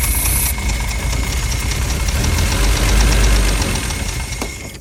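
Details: Mercedes W114 280CE idling: lumpy, uneven idle with unsteady low rumble and hiss of starter fluid spray early on; rough idle, spraying starter fluid.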